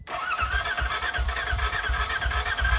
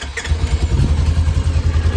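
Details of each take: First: Burnt RZR rebuilt with new wiring harness, fuel line, fuel rail and sensors: starter cranks steadily near three beats a second for about five seconds without firing; owner suspects broken battery connector or nearly dead battery. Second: Polaris RZR being rebuilt after burning, started with starting fluid after trouble starting: steady, even low thumping idle with no knocks or misses, running smoothly.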